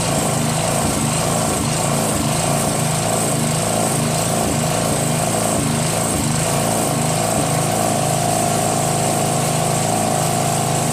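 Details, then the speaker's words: Northern Hydraulics pressure washer, Briggs 3.5 HP, sat 8 years, started with starter fluid, clogged wand tip cleared: steady governed engine speed with constant spray hiss; runs normally, pressure weak. "I mean the pressure sucks but it's only three horsepower now it works"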